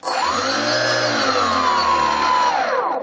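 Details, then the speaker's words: Brushless outrunner prop motor on a Skywalker RC model buzzing at a high steady pitch with a low droning hum underneath; vibration from an out-of-balance motor, before dynamic balancing. "I've been having a few problems with vibrations from the prop motor on this Skywalker model the vibrations you can actually hear them you can hear a humming noise when you run the motor"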